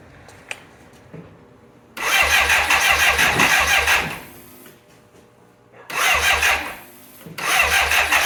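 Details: 1985 BMW K100 with fire-damaged wiring that sat six years, plugs just reinstalled. Three bursts of cranking at about three pulses a second, but it never catches. A loose relay, found later, is the suspected cause.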